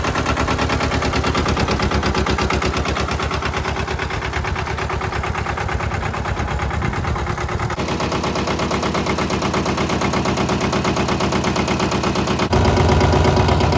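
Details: Mitsubishi MT372 diesel ride-on mower, auction-bought, modified dash without glow plugs, new battery: even rapid chugging knocks about three a second, holding steady; normal diesel idle.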